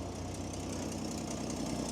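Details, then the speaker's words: Old truck with a stove bolt six-cylinder engine, just started after sitting, charging: quiet, even idle with a low steady rumble and no misses or knocks; normal idle. "but she's running it's charging a very straight stove bolt six very straight"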